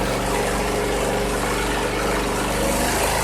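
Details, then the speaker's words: 2001 Cub Cadet 3184 (MTD), 848 hours, previously running rough, after tune-up (oil change, cleaned clogged air box, plugs serviced, one found out of gap): even, steady small-engine idle without skips or surging; started instantly, no leaks, healthy. "That started up instantly, gotta like that. I don't see any drips or leaks."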